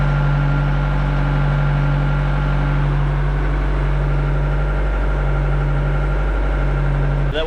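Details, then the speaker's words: John Deere 310D backhoe diesel, Stanadyne injection pump, just after replacing the faulty fuel shutoff solenoid that caused crank-no-start, not yet warm: steady even clatter and firm low drone, no misses; normal running after repair. "too hard to start all right let's go get it hot it seems to be working great now"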